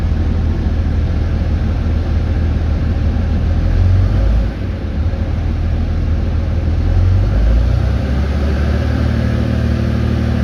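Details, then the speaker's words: RAM with a new fan clutch, idling as AC is switched on to demand the fan: deep idle rumble with a rising rush of air as the clutch bites and spins the fan up; engagement is normal, which fixes the warm-AC-at-idle problem. "okay so that relaxed it now i'm going to turn on the ac which should demand it on and that rpm should pick up"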